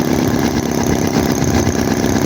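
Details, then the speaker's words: HOLT H75 Chinese model 4-cylinder engine, warm with hot radiator: quick, even patter with only a slight misfire, perhaps running low on fuel; normal running. "hot but not too hot radiators hot no that's just perfect listen to how even it is only a slight misfire there"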